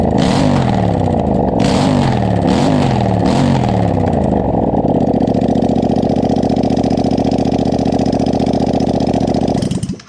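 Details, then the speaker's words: Yamaha FZ-07 700cc engine in a Honda Grom, first start after fuel pump and wiring hookup: engine catches and revs in several clean blips, then settles into a steady even idle before shutting off; healthy first start. "We've been working on this thing so long, and to finally hear it run has us feeling like nothing else."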